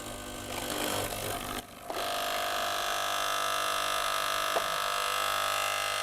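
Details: Gaggia Cubika espresso machine that heated and pumped but gave no water or steam, after full disassembly and syringe priming with the element hot: steady even buzzing drone with water now flowing; pump primed and working normally.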